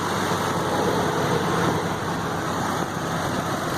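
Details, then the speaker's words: 2004 Ford F150 5.4 3V V8 after coolant pipe and intake swap with new gaskets: smooth, steady idle with even beat, no ticks, knocks or misses; engine sounds healthy, little smoke clearing. "But I gotta tell you, it sounds really good."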